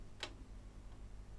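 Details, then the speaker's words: Kenwood A-85 amplifier (spares/repairs unit) powering on: sharp relay click over a low mains hum, amp definitely on, though no output voltage is measured at its outlets; relay clicking on power-up. "makes no difference it's definitely on I can hear the relay clicking"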